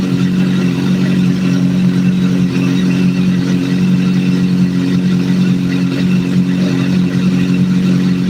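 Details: Idle captured during a vacuum sync, after adjusting number 3 until it is as good as it's going to get: smooth, steady hot idle with an even low hum and no hunting or stumbling; the cylinders sound well balanced.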